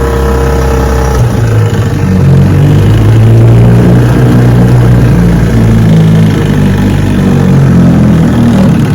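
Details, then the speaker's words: Restored 1971 Johnson 6 hp two-stroke outboard on its first on-water test run after restoration, shifted into reverse: loud buzzy beat that steadies after the gear change and runs evenly on throttle. Reverse works normally. "yes sir reverse works just fine"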